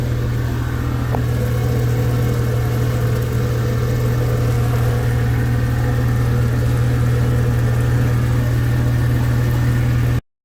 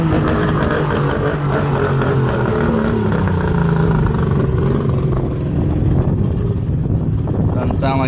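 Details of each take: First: Mercury outboard underway past the no-wake area at about 3,000 rpm in rain, after fuel-system fixes: steady low drone, even pulse about four per second, no surging or cutting out; running smoothly. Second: Mercury two-stroke outboard on water muffs after new fuel-water separator and new plugs, on high idle choke: steady fairly even buzz, running on all cylinders but idle speed may need adjusting.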